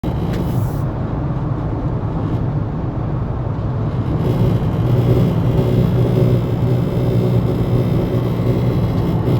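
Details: Steady low buzz from the speakers of a 2018 Honda Accord Touring 1.5, heard inside the car over the engine with the radio completely off.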